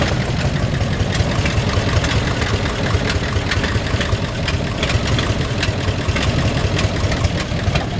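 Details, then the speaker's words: 1952 Ford F1 truck V8 idling cold: deep, slightly uneven rumble with faint sharp ticks from a small exhaust leak. "got a little exhaust leak as you can hear from just from listening right"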